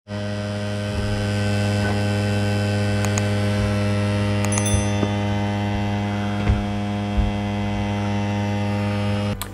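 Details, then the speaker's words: PlayStation 5 disc drive spinning up on boot: loud steady droning hum with a few light clicks and knocks; owner considers the noise concerning, cause not confirmed. "if you are not sure if that's what you're experiencing check out the video that i captured of this drive spinning up on boot up"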